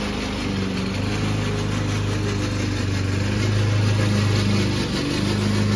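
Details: Old Toro Recycler mower cutting Kentucky bluegrass, binaural recording: a steady engine with a loud, rough rattling clatter from the drive system throughout. The noise was later solved with WD40.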